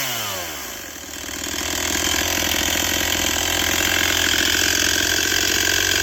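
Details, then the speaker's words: Repaired Stihl 241c chainsaw, restarted: it fires up and settles into a steady, even, high buzz with a smooth, consistent beat, running well; it just needs to be run. "Yeah, I think this one's good. just needs to be run."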